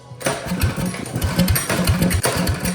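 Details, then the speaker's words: Old Russell 196cc four-stroke on a Baja mini bike, sat many years, after a carb clean, with a broken idle screw: rapid uneven chuffing from repeated pulls, coughing but never catching. It cranks without starting. "Still doesn't want to start."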